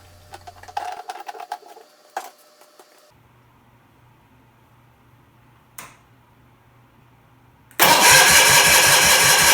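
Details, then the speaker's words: 1979 Bolens HT23 hydrostatic garden tractor with a Kohler K582 flat-twin engine, during a restoration engine trial with no gas in the tank, checking that a repair holds: quiet clicks, then the starter cranks at an even beat; no start because there is no fuel. "no gas yet in the tank. I just wanted to make sure that the fix will hold."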